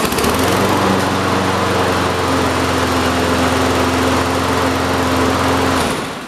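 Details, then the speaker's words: Toro self-propelled push mower, single-cylinder engine with previously blown rod, oil possibly in cylinder after tipping: smooth even steady rhythm easing off; definitely running better, healthy. "Definitely a lot better. I want to run it just a little bit higher."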